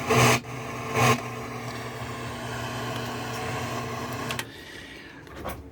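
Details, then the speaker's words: Akai AA-R40 stereo receiver with intermittent volume that appears when the board or wires are pressed: speaker hiss surges loud twice, holds, then drops abruptly; poor contact suspected. "So the something is definitely not making contact."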